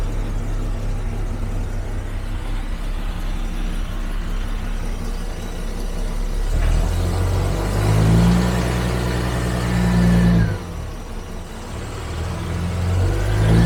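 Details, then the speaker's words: 1974 Jaguar XJ12 Series 2 carbureted V12, restarted after six years sitting (was on 7 cylinders): cold on choke, catches and revs unevenly, lumpy and hesitant; timing partly adjusted, still needs warm-up and timing-light setting. "We do have some timing adjustments to do, so we've got to let it warm up and get timing light out"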